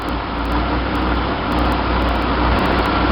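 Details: 1966 Chevy sports van, stock 230 straight six with HEI and a Weber 32/36 2bbl carb on the stock 1bbl manifold via adapter, in neutral just after start while adjusting the choke: fast, steady high idle, most likely from a vacuum leak at the added gaskets.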